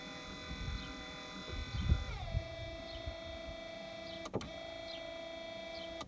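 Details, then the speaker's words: 1993 Chevy Lumina APV windshield wiper motor after resoldering its circuit board and repairing a broken board part, switched from mist/delay to low then high: steady whine, even pitch, clean click every two seconds as wipers reverse; normal operation, fixed. "So I should be able to move it to low now and it should just spin slowly. So that's slow, and let's go to high. Oh, look at that. I think we fixed it."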